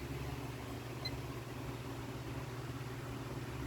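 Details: Late-1990s Lasko 16-inch oscillating desk fan Model 2016 Type 16-1 on high, drawing 0.74 A, 77 W against 0.9 A rating, previously cleaned: steady airy rush over low motor hum, no ticking, rattle or wobble; normal.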